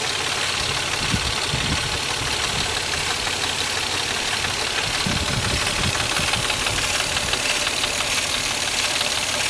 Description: This is a video of the weird noise my car makes everytime i start it.